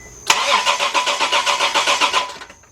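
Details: Chevy LUV/Honda Passport/Isuzu Rodeo no-start: the starter spins the engine at about five even compression pulses a second, never firing. The fuel pump was not heard, though a test light shows power reaching it; a bad wire at the pump is suspected.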